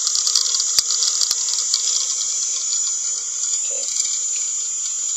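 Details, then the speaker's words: Zilog ZNEO 3-phase BLDC motor control demo, commanded from an iPad over WiFi, with speed set to max: steady high-pitched whine holding even with no surging or scraping. Normal running at full speed. "Let's say we want to hit the max, and then we hit the potentiometer, and I can really hear it going."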